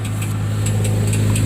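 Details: 2006 Trailblazer on ramps, idling, recorded from underneath with inspection panels off: light metallic tings three to four times a second over steady idle rumble, marble-in-a-tin-can noise on take-off that sets a knock sensor code; starter pinion striking flywheel.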